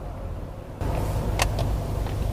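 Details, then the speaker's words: Geely Monjaro at 4,800 km, quiet cabin: a few short, sharp creaks as the dashboard trim panel is pressed, the panel rubbing and creaking. "Ну небольшие скрипы имеются вот эта вот штука да прямо скрипит"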